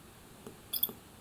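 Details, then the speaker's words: Olympus PEN Mini E-PM2 camera after IBIS repair, sensor now moving in both directions: faint click, quick high whir and two soft knocks as the sensor centers, no bad sound; normal image stabilizer power-on. "So if we turn the camera on now, you maybe were able to see there were 2 very slight movements, but that's it, and no bad sound anymore."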